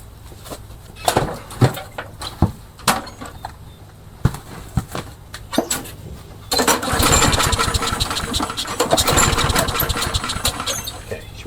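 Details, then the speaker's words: Craftsman 21in mower, Tecumseh 6.75 hp engine that customer says won't run, cranked then primed: uneven recoil pulls and sputters that never catch; cranking no-start, gasket suspected and to be replaced. "won't start. Let's try priming it. Give it a try. I don't think it'll start, though."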